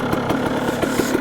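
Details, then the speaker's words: KTM 300 XC Slovakia Edition two-stroke dirt bike after a build with a stock engine (no cylinder mods): crisp, even burble with quick regular pops and no misses or rattles; idles cleanly, sounds super crisp and runs amazing. "it's amazing this thing runs so good wow sounds super crisp listen to it ktm 300 slovakia"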